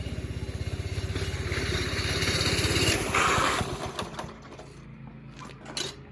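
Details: 5.5 hp Briggs & Stratton go-kart engine after reattaching the loose throttle cable, choke off; even thumping about three beats a second with throttle response, winding down cleanly as throttle closes. Normal running.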